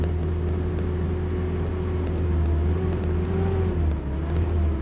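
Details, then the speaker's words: 1987 Nissan D21 Hardbody, fuel injected, in neutral: dies within a second without gas, held at steady fast idle drone by throttle with slight sag; will not idle, otherwise runs well. "So you can hear it trying to idle and then it dies."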